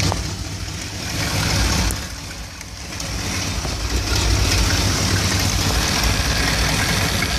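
Warm V8 idling with an uneven, lumpy beat and rising and falling loudness rather than a steady purr; rough idle, cause unknown.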